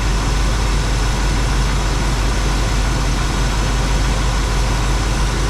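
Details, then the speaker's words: V8 van with hard starting and occasional loud bangs after about 1000 commuting miles, timing checked: loud, steady low rumble at idle with a slightly uneven beat; ignition timing far too advanced, off the marks. "all right gang according to our new Mark we're off the charts"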